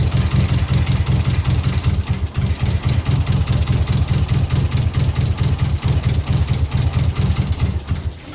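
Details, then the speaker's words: 2003 Subaru WRX rally car project under engine diagnosis: a deep idle with a ragged, skipping beat about twice a second, clearly missing on a cylinder before the engine dies out; owner wonders about compression, but the cause is unconfirmed. "Idling anyway. It ain't happy. It's misfiring."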